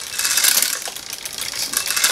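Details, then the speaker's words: Mongoose XR Pro budget full-suspension bike, new out of the box, MicroShift front derailleur shifting up the chainrings: quick light clicks and chain chatter, a bit of a mixed feel but not bad; acceptable front upshift. "okay yeah well i mean it's a little mixture a little mixture go ahead and go back down you definitely can hear it it's kind of mixed yeah kind of a mixture"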